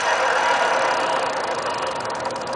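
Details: Za50 two-stroke running: fast buzzy drone with a rough, rattly edge; owner suspects a bad bearing, not confirmed.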